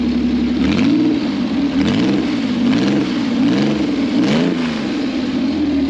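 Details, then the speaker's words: Customer's 2 L V6 trike, very short exhaust with basically no silencers, started after fuel pipes reconnected: loud, clean note rising and falling smoothly through repeated blips, no misfire or knock; revs normally, fuel pump still judged dodgy. "this sounds awesome in real life uh because You' got really short exhaust basically no silencers"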